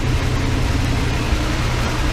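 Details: 1988 Dodge B350 fleet van V8, rusty drivetrain donor: deep, steady low rumble at idle with an even beat and no knocks or misses. Runs like a champ and sounds healthy.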